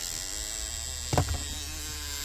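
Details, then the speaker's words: Audi climate control with a right lower footwell flap control motor fault code: steady electric buzz and rough clunks from the footwell vent. Unplugging the connector stops the noise; the motor seems fine and the rail it runs on is suspected. "여기거든요. 커넥터 빼니까 소리 사라지죠. 이쪽에서 문제였습니다. 모터는 문제 아니고요. 모터에 아마 걸리는 레일이 문제일 겁니다."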